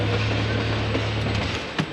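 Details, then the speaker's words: BMW E46 with SLR angle kit just fitted: engine drone falls away, then one sharp clunk as the shift goes in; second gear possibly lost, first still works, gearbox suspected but not confirmed. "we may have lost second gear oh that's a gearbox yeah i heard that clunk like when you tried to shift"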